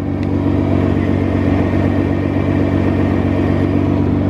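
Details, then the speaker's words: 2017 Nissan GTR automatic after bell housing replacement, cold weather: engine runs with an even, steady drone and no metallic rattle or handbrake vibration; normal running, bell housing fixed. "absolutely no rattles at all I can't feel any vibration through the handbrake now so it's all fixed thanks to night racer"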